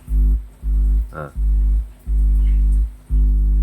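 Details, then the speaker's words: 400 W mono power amplifier, open input touched at the driver and hand brought near the heatsink: deep mains hum swells and cuts in bursts about every second, louder the closer the hand; input picking up interference. "Saya sentuh drivernya aja. Dia udah bunyi guys. Tapi bunyinya tidak sekencang disentuh langsung. Ini semakin mepet nih. Semakin mepet semakin dengung, Lur."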